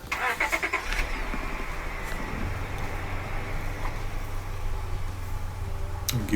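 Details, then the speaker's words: Honda Accord with misfire codes P0301, P0302, P0304, P0306 and P1399, just after fitting a new EGR valve: cranks, catches and settles to a steady even idle without stumble; runs better and sounds healthy. "So we're going to start it up. Pow! And it does certainly run a little bit better. Sounds good, man."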